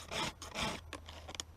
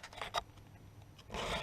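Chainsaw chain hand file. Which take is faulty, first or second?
second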